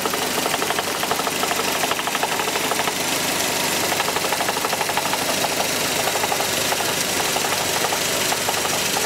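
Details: Mercedes C124 230CE, 2.3 M102 petrol engine at low idle: steady fast metallic rattle, about three a second; exhaust, heatshields and flex plate ruled out, source not pinned down.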